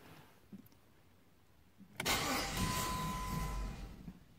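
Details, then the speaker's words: Jeep WK/XK 3.7L V6 restarted hot about five minutes after shutdown: seconds of hard cranking that never catches, then drops away; never happens cold; owner diagnosed crankshaft position sensor and replaced it; hot restart crank no-start. "it only happens when I use her twice or like I stopped by the store grab something real quick five minutes come back in and basically she makes that horrible noise and she won't start"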